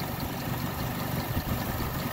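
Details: 2001 Mitsubishi Mirage 4G15 that sat for years: lumpy, uneven idle with stumbles, shaking and no power. Evap solenoid clicking; engine mounts bad. Fuel pump, regulator, plugs, wires, crank sensor, distributor and PCV replaced, hoses and EGR cleaned; cause unknown.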